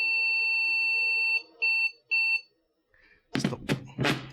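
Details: IBM 5150 PC on a refurb bench, powered on with no boot devices: PC speaker gives a steady high beep, then two short beeps, and the board carries on booting to the blinking cursor and IBM BASIC; a normal power-on self-test.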